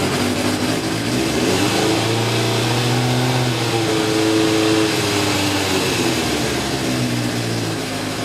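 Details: Motorcycle after carburettor pilot jets cleaned with hypodermic needle: started on choke, choke quickly backed off, runs steadily off choke and revs freely, picking up smoothly and easing back with no stumble or stall.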